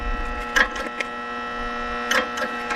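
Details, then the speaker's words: Constant, steady fixed-pitch electrical buzz under passing street sounds from a transformer and capacitor circuit. This is transformer hum; the source is suspected, not confirmed. "And the transformer dumps into a capacitor, and this capacitor and the transformer circuit makes this noise."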